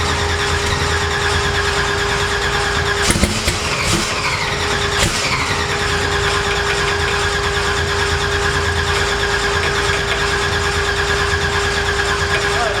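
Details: Twin-turbo Cortina, last start attempt after multi-point injection install, one person on throttle: a few sharp pops over cranking whine but it never runs; Holley ECU only accepts 48 lb/hr injector input for 100 lb/hr injectors.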